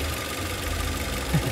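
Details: 2011 Toyota Avanza S: low, uneven, lumpy idle with no clean rhythm, engine running rough; mechanic suggests Avanza idle faults usually stem from idle adjustment rather than spark plugs; cause unconfirmed.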